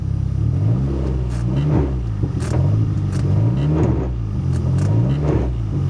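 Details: 1990 Nissan 240SX engine, still cold after a cold start, revved repeatedly with clutch in, faint sharp clicks near rev peaks; cause found to be a loose flywheel, not fully tightened by a shop, which loosened the transmission.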